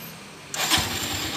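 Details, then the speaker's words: Honda Tiger Revo (Tirev) 2012, fully stock and long unused. Engine already warmed, so no choke. A brief starter whirr, then it catches almost at once and settles into an even idle; normal warm start. "ini enggak usah saya chock karena tadi sudah saya panasi jadi mesin sudah anget tinggal kita starter ya oke langsung kita starter"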